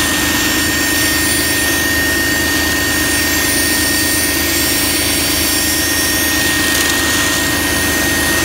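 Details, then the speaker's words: BMW E46 330xi with codes P0491/P0492, hose removed for a paper test of the secondary air injection system: loud, even, steady rushing whine, pump blowing strongly; normal secondary air pump operation. "okay and now we know that our pump is working"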